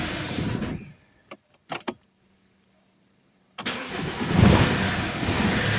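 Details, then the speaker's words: Alfa Romeo 156 1.9 JTD common-rail diesel with a crank-no-start fault: starter cranks long with some throttle and the engine almost catches then falls back; starts better as it warms, temperature or bad fuel suspected, not confirmed. "You have to start the car with some acceleration. You can hear the starter grinding away."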